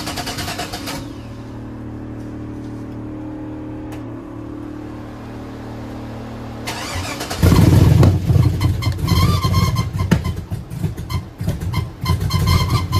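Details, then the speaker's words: 1966 Chevrolet C10 with LS V8 swap after changing from the stock cam back to a used mystery aftermarket cam, before HP Tuners tuning: cranks, catches, and settles into a loud, choppy, steady cam lope; running better than with the stock cam. "this is actually a huge diff from that stock cam it sounds way better it seems to be even running better"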